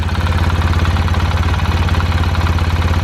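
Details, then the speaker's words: 2005 Polaris Sportsman 700 4x4 ATV after new exhaust springs, bushing and a patched exhaust, still running rough: big single thump at idle with a light, fast ticking chatter on each beat, sounding like valve clatter; cause unconfirmed. "don't know if you guys hear that chatter but i don't like the sound of that at all and i have a really bad feeling"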